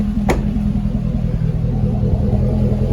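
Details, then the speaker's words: C6 Corvette with an LS3, idling after an oil and filter change on the factory stock active exhaust, valve open: a deep, steady V8 burble with a small throttle blip and no ticks or knocks. This is a normal idle. "sounds really good. It really does for being factory stock exhaust."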